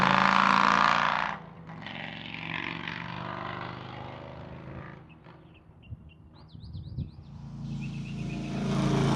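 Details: 2003 Harley-Davidson Road King 100th Anniversary with new headers, fishtail exhaust, Andrews 26A cam and ThunderMax: deep, even V-twin rumble fading past, quiet, then building as it returns; smooth, healthy running.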